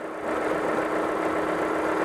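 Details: Engine idling after work on a slipped harmonic balancer inertia ring that had made the timing marks jump 0–60+ degrees. A steady, even idle with a smooth constant tone and no knocks or misses, before timing-light adjustment. Normal idle.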